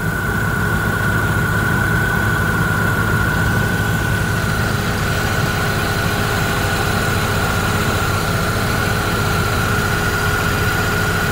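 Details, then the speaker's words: Opel Astra G petrol engine idling with AC on and fan at maximum after replacing the damaged multi-V belt tensioner; smooth, even, no belt flutter, slap or squeal: normal belt drive at idle. "j'entends déjà que le silence est tout fonctionne parfaitement courroie"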